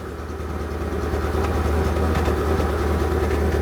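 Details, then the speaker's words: Proton Satria 1.5 petrol idling with a misfire, heard and felt with a hand at the exhaust: an uneven, stumbling beat of about three lumps a second. A compression test shows hardly any compression on cylinder 1. "So you can hear the misfire just by putting your hand over the exhaust. You can feel it, can't you? So we know it's misfiring."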